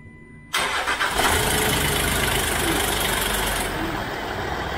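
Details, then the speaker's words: Land Rover Discovery 4 3.0 SDV6 diesel, first start after oil pump replacement with the oil drained: brief cranking, then it catches cleanly and settles into a steady, even idle with no knocking or rattles; healthy. "and then it starts and all the worries are gone one and a half days we worked on that car and the oil pump on a Land Rover Discovery 4."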